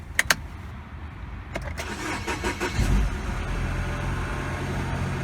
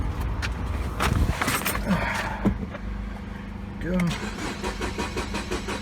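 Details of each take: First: 2012 Mini Cooper Countryman 1.6 L four-cylinder with a crank-no-start and no codes; the relay feeding the computer was bypassed with a jumper wire. A few cranks, then it catches and idles steadily. Normal start and idle; relay to be replaced. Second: 2012 Mini Cooper Countryman 1.6L four-cylinder, towed in with no check engine light or codes: an even, rapid cranking rhythm with no firing stroke, cranks but no start. Fuel pressure is at least 40 psi.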